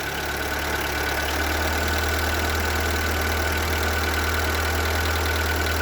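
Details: Seat Ibiza 1.4 petrol, BXW engine, at idle: dull fairly regular knock about three per second under steady idle; suspected piston slap, an engine known for it, not confirmed.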